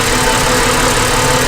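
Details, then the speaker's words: Ford Falcon BA 4.0L six with rough idle, coils lifted for testing: uneven stumble in the exhaust beat as cylinder number two fails to fire while the others spark; the number two coil is judged failed and gets replaced. "number four ribs are dropping you can hear of sparking as well number five side number six so it looks like got a problem with number two"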